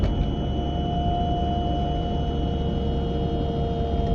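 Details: A 940 at about 30 to 40 mph: a constant thin tone rides over steady road rumble from the passenger side; the cause is not identifiable.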